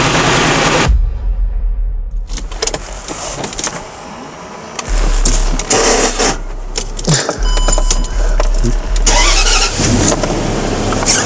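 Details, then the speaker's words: Range Rover V8 idling with the supercharger belt removed: steady low hum with no knock, showing the knock came from the supercharger compressor, not the engine itself. "Ну что друзья Как вы сами слышите мотор у нас не стучит"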